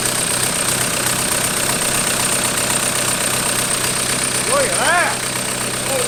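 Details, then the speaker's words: 1991 Toyota pickup with a swapped 1.9 L ALH TDI turbo diesel from a 2000 Jetta, first start with pump timing and IQ not yet adjusted: a steady, even idle with light, regular injector clatter and no misses or knocks. Normal diesel idle. "dude I didn't think it would run that smooth"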